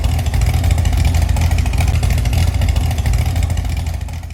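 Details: Chevy SS restoration engine, not yet fitted in the body, final start after a splash of gasoline: deep, steady note holds even with no misses or knocks before easing off; running cleanly.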